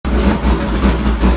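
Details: 1999 GMC Sierra LS with a turbocharged 6.0 V8 and Hi Ram intake, on a base tune at start-up: the deep idle rises and falls unevenly a few times a second, a lumpy hunting idle. The owner is struggling to tune the idle; cause not confirmed.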